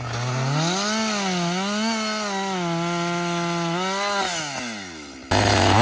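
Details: Husqvarna 562XP 60cc chainsaw, reflashed by the shop after dying when hot, not starting and stumbling, bucking dead windfall about two-thirds into a tank: crisp two-stroke howl bogs slightly into the cut, recovers cleanly and revs freely; running strong under load.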